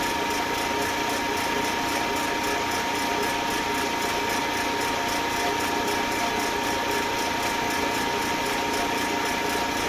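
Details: Eastwood Elite QST 30/60 scroll air compressor after replacing the failed pressure switch, which had never cut out and popped the 30 A breaker: tank around 100 psi heading to the 145 psi cutoff, even whir, faint constant high tone, no surging; normal running.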